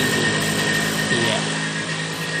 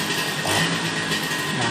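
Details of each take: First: Vespa two-stroke during carburettor setting: buzzy steady speed with a slight dip and recovery in pitch as the mixture and air screws are turned, seeking the highest engine speed. Speed changing during carburettor adjustment. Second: Vespa two-stroke after carburettor adjustment, snapped open: busy buzz stays even and clean without stumbling or bogging; carb set right and engine responds properly.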